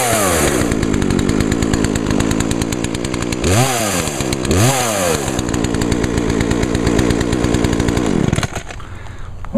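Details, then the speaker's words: Grandfather's lawn equipment, small two-stroke started for 2014 season: crisp even buzz idling steadily, revs cleanly twice then shuts off, no misfire; starts easily and runs well. "That baby runs good. Sure did. That thing started up as easy as my chainsaw did."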